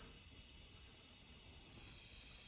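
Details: Carrier 4-ton R410A central AC under nitrogen test for low pressure: a steady, sharp gas hiss with nothing else behind it, escaping from a cracked TXV flare nut on the evaporator coil.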